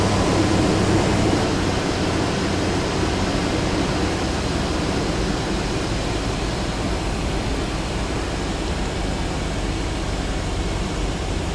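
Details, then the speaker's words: Dodge Durango with newly replaced mechanical fan clutch, first startup after reassembly: loud even whooshing roar over the idle with no knocks or grinding; clutch in full lockup, normal. "this thing should run in the full lockup position so the Fan's going to Roar for a while but after a couple minutes of running it should settle down to a lower RPM as the fluid begins to settle into the different uh areas which it needs to be"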